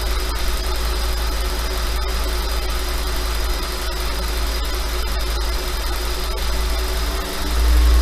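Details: 5.2 FSI engine at slightly raised idle: steady hum with a light, quick rattle riding on top, roughly four a second; owner asks if it is normal, suspecting piston slap.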